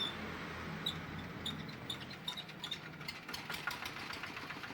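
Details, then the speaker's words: G3000 Zeva diesel farm tractor after replacing the pulley bearing and the wheel axle seals: a steady, even idle with light regular ticking and no knocks or grinding; the engine sounds smooth and healthy. "Oke, sudah suaranya halus ya."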